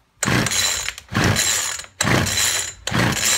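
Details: Poulan Weedeater Featherlite two-stroke strimmer, left standing a while, after fuel line replacement with the primer bubble full and fuel returning: four rattling recoil pulls, each a brief whirr dying with no catch. It cranks but won't start; the spark plug is checked next.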